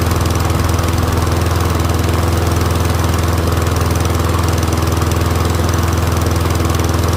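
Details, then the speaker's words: Troy-Bilt Briggs & Stratton rear-wheel-drive mower after ultrasonic carb clean, warming up with smoke clearing; steady even single-cylinder drone, no misses, surging or knocks; running healthy. "I'll let it warm up and I'll see if the pitch changes. Motor's running good. Let it warm up."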